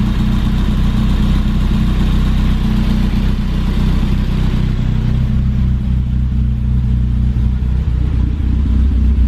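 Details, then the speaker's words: 1988 BMW E30 M3, rebuilt engine, just after cold start following six months sitting, loud exhaust: steady, even low rumble with regular beat, no knocks or misses, no exhaust smoke; clean, tight normal idle. "This motor is being rebuilt, so the actual engine is very clean and very tight."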